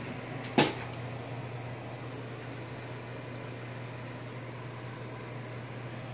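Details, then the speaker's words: APC Smart-UPS 1500 sinewave inverter, modified with shunt wires and 6-gauge wire, under about 1430 W heater load from a 24 V battery at roughly 75 A: a clunk, then a strong steady low hum; owner suspects the battery cell connections straining. "that's actually the battery humming if you can hear that probably what it is the connections to the cells straining out a bit"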